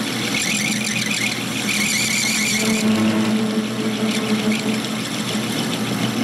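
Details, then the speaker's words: Worn carbide insert squeals: a high steady squeal with a wavering tone over the spindle hum instead of chip cutting. The insert has no cutting edge left on one side and won't cut. "Yeah, just gone. There is no more cutting edge on that one side. Alright. And it won't cut."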